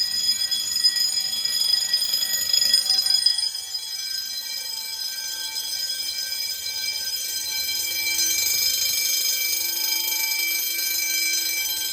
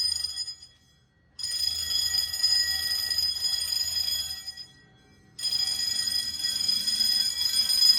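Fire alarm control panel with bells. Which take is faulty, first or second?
second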